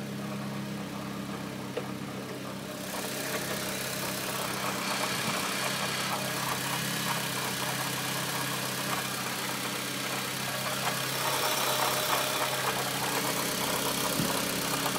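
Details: 2009 Lancer Ralliart at idle: light quick ticking (normal valves and injectors) with an intermittent dull knock underneath; Mitsubishi techs call it normal SST transmission clutch chatter, but the owner doubts it.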